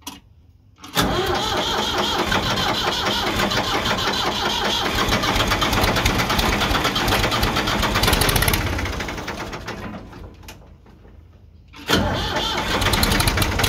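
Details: 1978 Ford 535 backhoe, Ford 201 3.3L three-cylinder diesel, started after valve adjustment: fires quickly, clatters at an even idle with steady rhythm, stops, then restarts cleanly; running normally.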